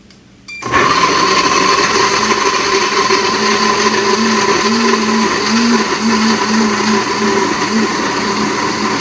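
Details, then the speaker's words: Almond/soy milk machine running its mill cycle on overnight-soaked almonds, first of several sessions; steady high-pitched motor whir with even grinding hiss, no stutter or strain; normal operation. "So I am now going to press the mill button, and I'm going to let you hear what it sounds like when it's doing its thing. It will run, and when it completes its course of churning, I'm going to run it 3 times."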